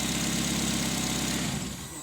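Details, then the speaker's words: Nissan Wingroad after a no-start fix (no injector pulse or coil signal; cam and crank sensor wires replaced): engine idles evenly at normal rpm with no missing or hunting before shutoff, normal idle. "अच्छा तो दोस्तों, गाड़ी अब बिल्कुल ओके है, कोई मिसिंग नहीं है, कोई कुछ नहीं है, बिल्कुल नॉर्मल आरपीएम पर खड़ी"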